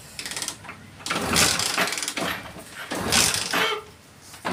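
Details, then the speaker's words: 2021 Hero Splendor BS6 motorcycle with a misfiring/sputtering complaint and a non-working electric starter: repeated kick-start strokes with rapid mechanical clatter, engine turns over but never catches; spark plug and cap checked next. "आप ये देख सकते हो कि bike start नहीं हो रही है तो एक्चुअल में बाइक में प्रॉब्लम क्या है"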